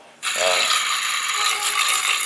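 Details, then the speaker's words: Ford F-150 belt tensioner pulley, belt off, spun by hand: dry gritty rattling whir staying rough as it coasts; bearing worn, while water pump, alternator and idler pulleys spin quietly. "noise is pretty obvious uh I did however go through all the other pulleys and just give them a flick you know spinning the water pump spin the alator spinning all the idlers everything else sounds fantastic or doesn't sound like anything"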